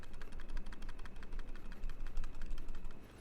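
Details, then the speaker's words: Fantech Aria gaming mouse after about three months of use, shaken: quick, uneven light plastic clicks. An internal rattle that persists with every button held in and was absent on day one; the part is unknown. "that rattling uh will still be there after holding every button in so it's probably something rattling on the inside"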